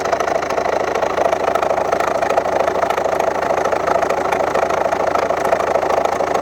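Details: 2011 Volvo V70 1.6D diesel idling with a sharp, rapid knocking clatter; the 2nd injector from the right was flooded with engine oil, and replacing its copper sealing washer stopped the knock.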